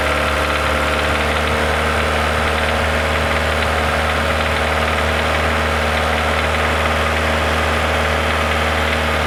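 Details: Renault Logan 1.6 16-valve, about 19,000 km with the knock, heard only around 2000 rpm: light, loosely regular knocking over the engine note; dealers can't identify it, last guess hydraulic lifter, owner doubts this.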